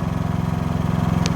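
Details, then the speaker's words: New Harbor Freight Predator 5000 watt dual-fuel generator on first run, started right up once the remote was synchronized: smooth, even low hum with steady quick pulse and faint room-fan whir; quiet, normal running. "And then soon as I synchronized the remote control, it started right up. Beautiful little hum."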